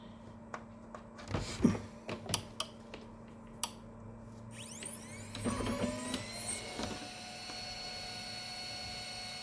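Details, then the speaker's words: Kyocera FS-1130 printer after replacing worn fuser (oven) gears that caused a loud grinding noise: a few clicks on wake-up, then an even steady whir with no grinding; the noise is gone and it runs normally. "وراح الصوت وسلامتكم وحياكم الله. بقى شنو؟ بقى بس نقبضها للطابعة وترجع تشتغل مثل الوريد."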